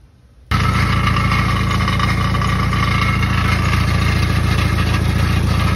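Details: 1995 Jeep Wrangler YJ 2.5L: starts and idles with a busy, clattery rattle; compression about 165–170 psi per cylinder shows healthy bottom end, much valve play noted, cause unconfirmed.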